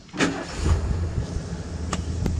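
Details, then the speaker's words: 1979 Ford Pathfinder Quadravan 4x4 with a new Holley carburetor bolted on and left unadjusted; one short crank and the V8 catches at once, settling into a deep, even rumble. Normal start. "Can't argue with that. I didn't adjust a single thing on that carburetor. I bolted it on, that's it."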